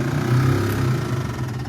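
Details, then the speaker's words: 1948 Ford F4 flathead V8, first start attempt after 20 years, starter jumped from 6-volt battery: steady light electric whir, no cranking rhythm; starter spins without engaging, traced to battery-to-starter cable. "Okay, so you can hear it whirring over there, but it's not actually spinning the fan."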